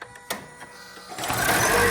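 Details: Toyota Camry Hybrid at 100,000-mile service, inverter coolant being refilled in maintenance mode: a few light clicks, then a steady soft whirr holding level; the electric coolant pump running normally.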